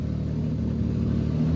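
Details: 2007 Infiniti G35 Coupe after an engine swap, first start on an ECU expected to run in limp mode: engine catches and settles into a steady low rumble, building slightly with throttle, with no knocks or misses; normal running.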